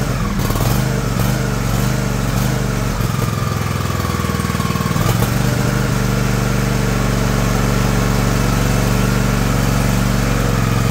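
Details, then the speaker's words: John Deere LX178 single-cylinder mower engine with new replacement carburetor, on choke, throttle cable disconnected: catches and settles into a steady even chug, no misses or surging; normal start and idle. "all right isn't that nice I'm going to look at see if I can slow that down a little"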